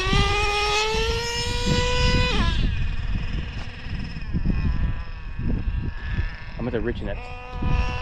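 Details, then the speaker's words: O.S. 21 TM nitro engine in a used Traxxas Revo: high screaming pass climbs and thins out before dropping off; lean on the high-speed needle, richened one to two hours. "I heard it getting lean [Music] I went about an hour or two richer on the high speed"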